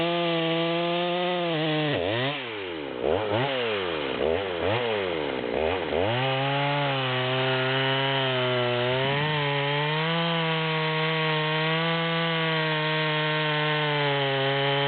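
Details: Stock rear-handle Stihl MS200, near-new, high-speed screw at the stop, with an oversized 25-inch bar in a large log: the saw screams steadily, then its pitch sags repeatedly as the bar bites; underpowered and bogging for that bar.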